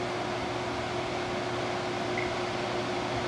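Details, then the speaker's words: 2001 GE 6000 BTU window air conditioner (AUV06LAT1, Mitsubishi compressor) on cool after replacing compressor mounts that caused a pulsating droning: steady even hum, no rattle; much quieter than before, slight pulsing while warming up. "I gotta say that is much quieter than it was before. I mean, much quieter."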